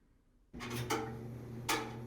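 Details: Frigidaire washer-dryer center, drying section: a steady drum hum, then loud knocks about every half second while the drum turns. Worn parts are suspected, not confirmed; dryer drum noise while turning.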